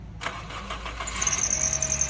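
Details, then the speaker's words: Engine start-up, then a thin, steady, high squeal or rubbing sound over the idle. Usually said to be a V-belt (serpentine belt) fault, such as a worn, loose or cracked belt or a bad tensioner; not confirmed. "Aracınızdan böyle ince bir gıcırtı ya da sürtme sesi mi geliyor? Bunun sebebi genellikle V kayışı arızasıdır."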